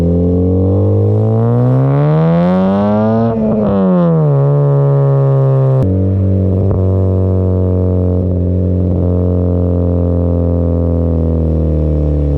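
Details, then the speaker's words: 2015 Honda Civic Si with a newly installed Skunk2 Mega Power exhaust, revved up and back down: deep exhaust drone with brief metallic buzzes. A known, common rattle, taken to be the heat shield against the pipe. "So we do have a rattling noise, which is known and common here. So what I want to do is I want to try to see where that rattling noise is coming from, and if possible, absolve it."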